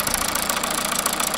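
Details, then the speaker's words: 2009 MINI Cooper D R56 PSA diesel, 136,000 miles, telescopic microphone probing each injector: quick even light tapping over quiet idle; owner thinks it is at injector one, cause unknown. "i think it's inject a one that's tapping away and then that would be injected two [Applause] three and four"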